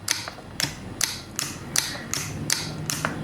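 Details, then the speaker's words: 2004 BMW E46 heater control valve, bench-tested after lithium grease added to the sleeve: crisp clean clicks about every half second, no drag or binding; actuator now moves freely, though the torn gasket still means replacement. "and now the valve is working a lot better it's not binding like it used to be"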